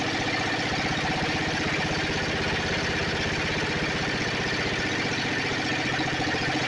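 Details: Snapper 28" riding mower, 12.5 hp Briggs & Stratton single-cylinder, hard-starting: running after coil grounded with a screwdriver at the kill ground wire location; ticks over steadily at a fast even beat, no misses or knocks, normal.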